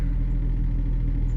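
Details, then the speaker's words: 2002 BMW 325Ci convertible inline-six, RWD, after sitting three years, new battery, first start: deep steady low rumble at idle with faint uneven pulsing and possible lifter tick; rough running, cause not yet found, owner hopes an oil change helps. "something's definitely wrong and it is not running very good oh yeah now the whole car is rumbling real low"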